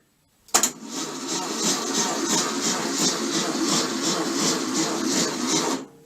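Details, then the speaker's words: VW bus engine with very high compression, a 12-volt battery on a 6-volt starter, plugs out. It turns over sluggishly at about three beats a second; the owner suspects the starter bushing. Slow cranking. "I'm very familiar with this issue it's just not cranking over good enough this is 12 volt battery turning over a six volt starter should fire it right over"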